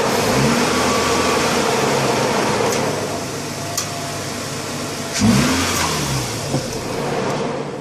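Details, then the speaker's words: Mazda RX-8 Series 1 rotary after new NGK RE9B-T trailing and RE7C-L leading plugs, NGK RC-ZE81 wires and UltraPower U501 coils: starts and revs cleanly, rising and falling smoothly with throttle, no misfire or stumble; normal running. "all right as long as she runs you are good to go"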